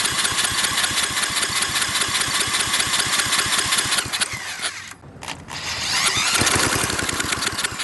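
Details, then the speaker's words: Briggs and Stratton industrial small engine with carburetor reinstalled, propped on a tiller, pops and runs raggedly a few seconds then dies; fires but stalls. "so i've tried everything spraying starter fluid in there it of course it runs for a second but then cuts off"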